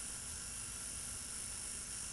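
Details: Rotary Edison-style engine with four bearings and old car contact-point ignition, running in its fast direction after readjusting the points: a steady, even buzzing hum at constant high speed with no stumbles; running smoothly at maximum.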